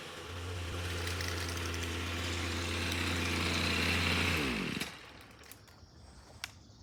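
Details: Ryobi string trimmer, about four years old, found in the trash, two-stroke running after its broken air box cover was repaired: a clean, steady high-revving buzz that winds down smoothly at shutoff. It runs normally.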